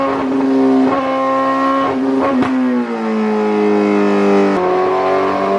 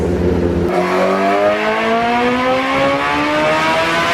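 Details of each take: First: 2008 Suzuki GSX-R1000, previously ECU-flashed elsewhere, warmed-up baseline dyno pull: pulls hard under load, then revs sag and climb back slowly and unevenly. Sounds wrong; fueling issue. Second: 2008 Suzuki GSX-R1000 on the dyno, warmed up, pull under load: sharp throttle pickup then a smooth rising howl climbing evenly to the top with no stumble; the bike had a fueling issue a previous ECU map didn't fix, with a new fuel pump assembly fitted.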